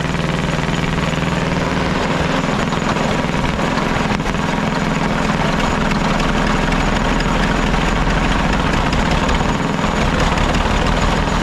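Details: Caterpillar D8 2U crawler main engine running after its first start, revived after the pilot (pony) motor was sorted: loud, steady low diesel rumble with even firing pulses, no knocks or misses; motor sounds fantastic, healthy normal running.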